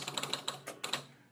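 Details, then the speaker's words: Electromechanical pinball machine, score reels on players 1–3 manually advanced with power off, game started to find which reel switches need cleaning; quick run of about nine sharp dry clicks then silence; score reels reset to zero normally. "So I'll start a game. So it's resetting all those."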